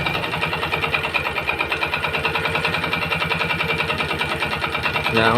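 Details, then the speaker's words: Yamaha Jupiter MX motorcycle that smokes and knocks, before teardown: light, fast ticking clatter rides evenly on the idle, no connecting-rod roar; suspected piston, not yet confirmed. "untuk kedengaran suaranya dia hanya kemletek ya namun tidak ada bunyi-bunyi dariang pistonnya hanya bunyi kemelet"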